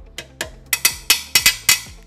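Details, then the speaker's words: Tap test on 2020 Honda BeAT eSAF frame: sharp metallic taps each ending in a short hollow, ringing tone, unlike the thick dull sound of the 2015 BeAT frame; thin frame steel. "Mari mi dokdog ini kencang banget terutama di sini nih ya. Kopong banget."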